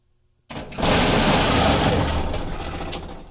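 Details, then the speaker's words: Electrolux dryer, noisy for a long time and now with the drum no longer spinning: a harsh, loud rattling roar like a big engine as soon as it starts, with no drum rhythm; the drum drive pulley has come completely detached. "I don't know where that goes and there's just all kinds of pieces laying so that is why my dryers making noise and we are about to fix a wish me luck"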